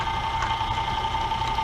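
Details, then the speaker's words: Drill press/router milling aluminum in 3D-printed jig with oil: at bottom of cone shape, steady fairly clean singing tone with light ripple, tool engaging better with much less chatter. "when you get to that bottom of that cone shape it um it starts engaging the tool better and it has a lot less chatter"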